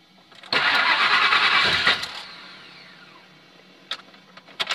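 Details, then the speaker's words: Rebuilt Ford F150 cranks about one and a half seconds but won't catch, then light chimes; corroded fuel pump +12V line temporarily fixed, owner suspects bad IAC, throttle position or mass airflow sensor, no trouble codes; crank no start. "up H now it's not going to start at all tries"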